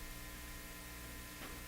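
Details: National HRO Sixty communications receiver, previously modified, powered on with signal generator connected for a 1,000 Hz tone: faint steady mains hum and soft hiss, no tone yet; audio stage alive but nothing received.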